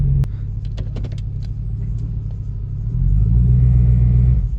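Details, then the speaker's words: 2006 Chevy Tahoe 5.3 LS V8; low, steady rumble lifts slightly, then fades and dies, a stall the owner says happens repeatedly and it usually won't refire; cause unknown. "there it goes yep and it just do that and usually it usually don't fire back up every once in a blue moon it will"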